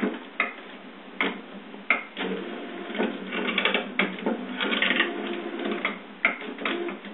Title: HP printer makes strange noises...